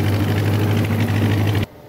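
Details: John Deere 2010 tractor after a welded PTO gearbox housing repair, mowing grass with a bush hog: steady low diesel drone under load, no squeal or gear whine; tractor and PTO running normally.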